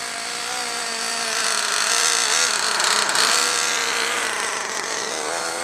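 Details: Nitro RC engine on fourth tank of break-in: high buzzy engine swells and sags over a few seconds, rich-lean surging; owner suspects clutch slipping, fuel, fuel delivery, glow plug or air leak, not yet checked.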